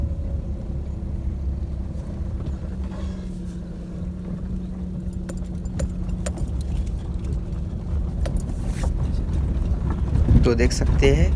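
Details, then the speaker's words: Maruti Suzuki Alto after suspension repair, test-driven on a rough dirt road: only light keychain and door-panel rattles are heard, with no clunks or noise from the suspension. "गाड़ी में कोई भी आवाज नहीं है सिर्फ एक kitchen आवाज कर रहा है और छोटे मोटे जो इसके डोर पैनल्स होते हैं उसमें से सिर्फ थोड़ी थोड़ी आवाज आ रही है बाकी सस्पेंशन वाइज कुछ भी इसमें नॉइस नहीं है"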